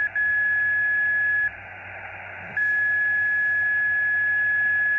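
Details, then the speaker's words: Xiegu X6100 ham radio with no antenna connected: steady high whistle over faint hiss, cutting out briefly and returning, repeating a pattern like someone tuning up; internal birdie, source unknown. "sounds like somebody tuning up and I don't even have any antenna hooked up let's wait a while and see what this is It's really strange seems to be repeating some type of pattern"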